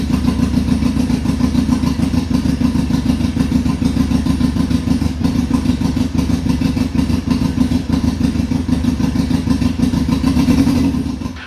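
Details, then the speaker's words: 2002 Yamaha Fazer 1000cc four-cylinder motorcycle, cold start after sitting over two months, carburetor cleaned: fast, even idle patter with every cylinder firing cleanly, no misses, then shut off; all four cylinders working. "cleaned up the carburetor and great news all the four pistons are working"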